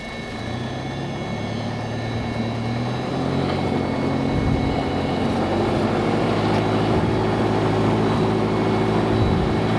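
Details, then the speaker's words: Lycoming fuel-injected Mooney M20J after a restart while hot, using mixture as throttle: steady, even low drone at 650 rpm idle, leaned out, no misses or stumbles. Normal idle. "so there it is hot start hot start it's uh 650 RPM so"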